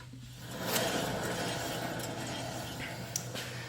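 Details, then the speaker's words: 2011 Toyota Tacoma 4WD, 1GR-FE, 6-speed manual, 160,000 miles: steady low hum with gritty rasp and clinks vibrating the front suspension, driver's side front wheel bearing grinding, no play yet. "This is absolutely grinding wheel bearing. You can hear it. It vibrates that entire front suspension."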